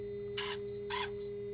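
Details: Dodge/Mercedes Sprinter, new turbo boost-pressure actuator after code 2510 limp mode, commanded via scan tool; two short whirring bursts about half a second apart as motor drives the lever; normal actuator operation.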